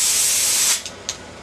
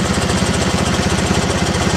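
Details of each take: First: T80 air compressor at about 50 psi, squeaking and rattling, before teardown; sharp sustained hiss for under a second, then the valve snaps shut with a short puff; safety pop-off valve venting normally. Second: T80 air compressor: fast, heavy rattling knock with a high-pitched squeak, still producing air; rattle settles when the load is removed by blocking the inlet, indicating a failing compressor, which later seized and twisted its pulley apart.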